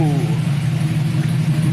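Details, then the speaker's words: 1999-06 Chevrolet Silverado/GMC Sierra V8 with BTR Stage II truck cam, head gaskets, headers, finished tune, single-in single-out Flowmaster exhaust: deep uneven loping idle, choppy crunchy exhaust pulse; healthy normal cammed idle. "hear that crunchiness oh man that's only single in single out flowmaster effect imagine if i ran through duels but this thing sounds killer"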